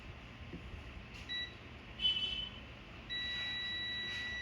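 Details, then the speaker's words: HP laptop motherboard DA0P5HMB8J0 with on/off problem: multimeter gives short high beeps, then a continuous tone across a capacitor where none should sound. RT-series IC suspected, before replacing it. Finding: short circuit on power rail. "यह beep कर रहा है, लेकिन इसे beep नहीं करना चाहिए था। लेकिन देखिए, मुझे यहां एक बीप सुनाई दे रही है।"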